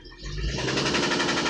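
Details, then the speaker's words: Chrysler petrol engine with a low oil pressure warning light that comes on, temperature gauge at mid: as it is accelerated it picks up revs and breaks into a fast, sharp rapid-fire knock, roughly a dozen a second. "Pero mira, además no tiene más nada. El carrito no tiene más nada. Esa es la luz del cinturón. Mira, se queda en mitad de la temperatura. Cuando lo acelero,"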